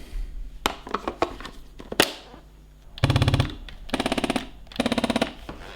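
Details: Beautural handheld garment steamer with no steam, and swapping the reservoir did not help. Short bursts of fast, even rattling buzz come from the vibration pump chattering against a stuck valve ball.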